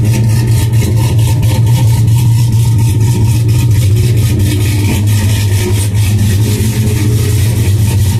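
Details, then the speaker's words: 2002 GMC Sierra V8, cold start after sitting a couple of days, before tow/haul stalk switch wiring repair: steady, even low rumble at idle with no knocks, ticks or misses; normal cold start idle. "have a little hoola girl shaking up here so anyway man that sounds good doesn't it"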